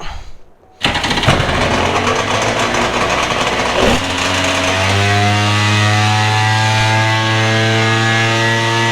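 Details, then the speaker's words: Two-stroke jet ski engine sitting three years, carbs rebuilt, fresh premix. It fires and climbs to a high steady scream the throttle can't control, running away. The owner suspects excess fuel dumped into a cylinder while using a shop vac. "oh it ran away what the why did it run off oh I bet because I put the shop vac down in that cylinder it dumped a bunch of gas down in there a bit man"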